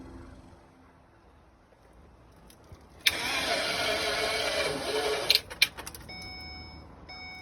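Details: 2011 Ford Econoline Super Duty van after replacing a burnt-out starter whose solenoid had melted: quiet, then the engine catches at once and settles to an even run, followed by a few clunks and chimes; clean start.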